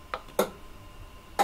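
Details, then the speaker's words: Powergrip YG-1 power conditioner at switch-off: three crisp, separate relay clicks over about 1.5 seconds as the zones drop out in reverse of the start-up sequence; normal. "on a une séquence inverse qui s'opère."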